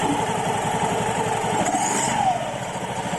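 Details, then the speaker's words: Honda Vario 110 LED eSP scooter after fitting Kartel double clutch bell, light throttle pull-away: engine buzz with light hiss on take-off; owner suspects a Kartel trait, hiss disappears once moving, to be monitored. "Nah untuk tarikan awalnya nih ada suara berdesisnya gitu ya. Ini mungkin memang ciri khasnya kartelan seperti itu, saya tahu saya guys ya."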